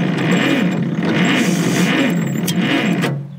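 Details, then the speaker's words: Cleveland bucket wheel trencher, thought to be a Model 75, with BUDA HP217 engine, sitting since 1977, on a weak battery. Slow, uneven cranking with irregular pops as it tries to catch. It seems to spark on the downstroke, so the timing may be late. "See, it sounds like it's sparking on the way down."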